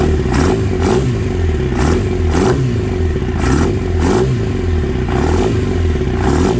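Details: Kawasaki ZX9R, sat 10+ years, first run on 2-stroke fuel poured in, battery charger connected, fuel shut off to drain the float bowls: deep uneven lumpy thrum with clattery surges; vibration felt at the handlebar controls; rough running, cause unclear.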